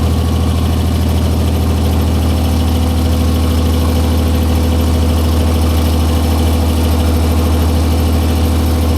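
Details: 1944 Cleveland 3-268A three-cylinder two-stroke diesel, revived, first run after fuel-delivery fix, no coolant: steady deep chugging idle, even beat, no misses or knocks; all cylinders firing cleanly, normal idle.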